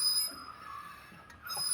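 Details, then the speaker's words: Mahindra KUV100, front wheel raised and turned by hand: a steady high-pitched metallic squeal that briefly drops out, heard intermittently from the front while driving. The brake pad is worn out and its wear-indicator plate is rubbing the disc. "ഒരു sound ആണ് കിഗീ എന്നുള്ള ഒരു sound ആണ് നമ്മൾ ഓട്ടത്തിൽ നിൽക്കുന്നത് ചില സമയത്ത് ഈ ഒരു സൗണ്ട് കേൾക്കില്ല പക്ഷെ ചില സമയത്ത് കേൾക്കുന്നുണ്ട്"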